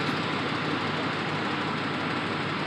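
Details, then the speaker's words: Engine at startup: harsh, busy metallic rattle, identified by the owner as cam phasers, with replacement phasers already waiting to be fitted; cam phaser rattle. "now for those of you that know what this noise is shut the [ __ ] up i got cam phasers already waiting to do it"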